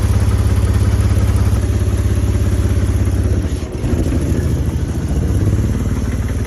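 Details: BMW E60 530i with a rod bearing spun months earlier, unstarted for a couple of months and needing 7-8 minutes of cranking, idles rough with a deep heavy knock about three per second under the engine drone: rod knock; engine due for replacement.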